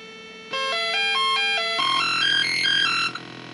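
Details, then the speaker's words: Commodore 64 SID sound chip from five-pin board machine number one: stepped chiptune notes turn harsh, glitchy and buzzy with a noisy smear; faulty SID chip. "sid chip makes really weird glitchy noises and then i went back to test the sid chip from that first board the number one machine that was that five pin board and it's really screwed up it creates this weird buzzing noise and doesn't work well"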